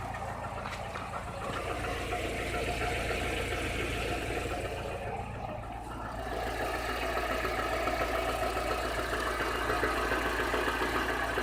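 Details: Chevrolet Niva, 45,000 km, cylinder head replaced under warranty: regular light tapping three or four times a second over the idle, following engine speed; an internal knock of unknown origin that is getting worse.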